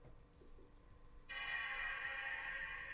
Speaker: It actually chimed.